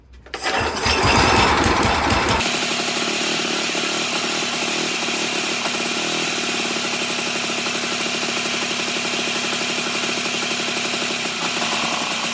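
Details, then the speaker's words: 1987 Toro Pro Line walk-behind mower, small single-cylinder engine during carburetor adjustment: catches and settles to a fast, slightly uneven buzz; firing back through the intake/carb, owner suspects valve adjustment may be needed. "it looks like it's firing back through the uh intake through the carb so that might be some valve adjustment that might need to happen"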